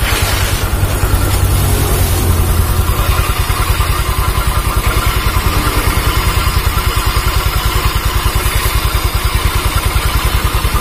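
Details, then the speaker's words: Automatic scooter revived after running out of oil, ridden about an hour: steady even idle with a low rough growl from the rear; owner suspects the CVT pulley clutch, growl slight when still, smooth when wheel spun forward. "oke itu adalah suara dari klaker puli kalau analisa saya karena ada di area belakang"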